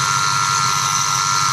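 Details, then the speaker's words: 2008 Ford F-150 4.6, under the hood at idle, whine present for a year, a mechanic found nothing: constant high whine over a smooth idle; idler pulleys suspected, unconfirmed. "I don't know if you can hear it on video clearly, but there's a whining noise, and you can clearly tell it's coming from the idler pulleys. Might be the idler pulleys."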